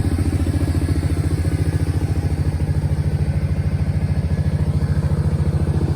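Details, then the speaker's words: Kawasaki KFX 700 V-twin ATV on very old fuel: steady, evenly paced low thumping idle with no misses or knocks, idle slightly low with a stiff adjuster; normal idle. "The idle's a little bit low, but the adjuster is kind of funky. It's tight and don't want to really adjust too much. But actually, it sounds like it's idling pretty good right now."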